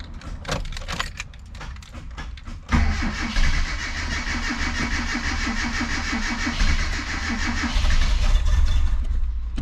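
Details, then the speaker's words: Mitsubishi Sigma with newly fitted 32/36 Weber carburettor replacing a dead Mikuni, fuel bowl filling, carb cleaner sprayed in: starter churns, engine catches and idles roughly for seconds; starts briefly then dies, suspected insufficient fuel mixture. "Oh, okay, that's normally, this is starting, the carb clean started, so it sounds like it's not good enough fuel mix."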